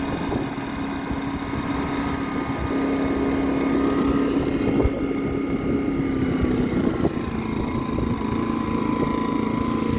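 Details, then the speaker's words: Pulsar inverter generator after repair: surging was caused by a deteriorated carburetor paper gasket letting air in. Small engine now runs smoothly at a steady hum with no rising and falling surge: steady running, no surging. "But as you guys seen in that video, it sounds great, perfect, no surging."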